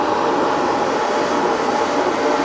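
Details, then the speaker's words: Bobcat T76 R Series loader, newly installed aspiration kit blower for air filter life, ignition on: loud, steady rushing whir, even pitch, no rattles or surging; weak but definite vacuum; blower running normally. "yeah so you can hear that running I mean it's a little loud but that's pretty cool man"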